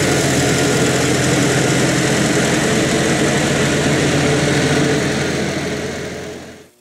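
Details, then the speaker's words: 1974 International IH 354 tractor after fixing a frayed points-to-coil wire and cleaning and regapping the points: steady, even low thrum, then winds down; points still arc heavily, owner suspects a bad condenser. "but I also knows notice there's a lot of spark coming off the points I cleaned them reset the gap I'm wondering if the condenser has gone bad"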